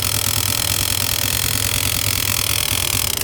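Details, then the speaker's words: Honda CG 125 idling steadily with a dry, scratchy whirr from the clutch-side cover, kick lever in place; cause is a jammed RPM (rev-counter) cable drive, fixed without opening the engine. "ये जो आवाज है basically clutch side cover से आ रही है। और यह आवाज है किस चीज की?"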